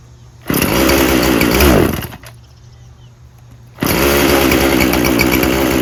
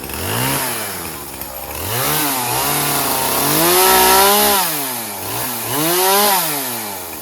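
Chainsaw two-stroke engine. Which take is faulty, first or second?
first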